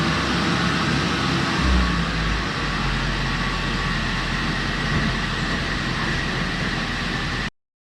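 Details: Mazda B2300 work truck four-cylinder after tune-up, run until the oil smoke cleared: constant, even running note with no missing beats or knocks; runs smoother.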